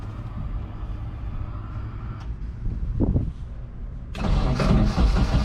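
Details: KA24DE turbo Nissan 240SX S13 drift car, after adding 5 gallons to a nearly empty tank: long uneven cranking with sputters, then catches roughly with throttle and runs lumpy; good fuel pressure.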